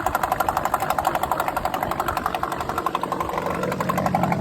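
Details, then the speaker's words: Late-1970s/early-1980s Yamaha-built 8hp Mariner two-stroke outboard that randomly shut off, after fitting a new fuel pump with aftermarket carb: even, steady putter about four beats a second, no stumbling or cutting out; runs properly. "But I've had it installed, been running it, and now it seems to work good."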